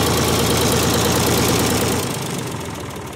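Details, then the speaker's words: Ford 3000 three-cylinder diesel tractor, started after wiring a new universal ignition switch, fuel on, PTO off, transmission in neutral: even, regular diesel clatter at a steady beat, no misses or knocks, before it fades; healthy idle. "Fuel is on. PTO is off. Transmission is neutral. Let's crank it. Like a clock. Beautiful."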